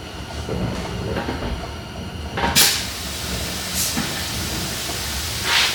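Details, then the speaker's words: Switched-off 40 A plasma cutter hisses constantly with a few sharper puffs as soon as compressed air is connected; not leaking at the external fitting but internally, owner suspects air is used as a cooling medium. "makes that noise and it's not leaking out of the fitting external it's leing internally [Music] somehow um wondering if they're just using compressed air as a cooling medium"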